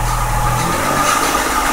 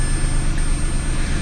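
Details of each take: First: 2004 Mazda6 with swapped 2006 Fusion 3.0 V6 (61k miles), idling after swap: steady run with thin constant whine above the engine note; owner suspects a pulley going out in the accessory drive, hopes it is not engine related. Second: 2004 Mazda6 with a 61k-mile 2006 Ford Fusion 3.0 V6 swapped in, restarted after the PCM relearned: smooth, even low idle hum with no knocks, misses or squeals. Normal idle after start.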